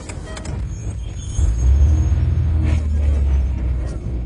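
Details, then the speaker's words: Car that stalled whenever the accelerator was released, after repair and restart with no throttle input: low steady idle holding on its own without dipping or stalling; stalling fixed. "now for the Moment of Truth watch I'm not touching the gas 3 2 1 go it's running let's try"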